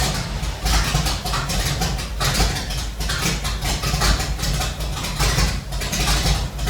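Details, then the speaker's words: Chevelle being made drivable for the first time in 30+ years, in garage: steady even idle with soft regular pulse, no knocks, ticks or misses; starts easily and idles nicely. "So I have actually already started it to make sure that it idles, but this thing starts really easy and idles really nice."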